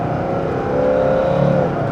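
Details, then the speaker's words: Mercedes-Benz S123 300TD turbodiesel automatic, oil warmed, hard 0–80 acceleration after vacuum repair: engine pulls with rising whir, third-to-fourth shift slightly late, then the note drops cleanly in a nice upshift; normal automatic upshift. "watch shifting a little bit late from third to Fourth but other than that it's it's de it's very decent it's very decent but as you can hear it shifts and then it flares and then it shifts o nice shift right now"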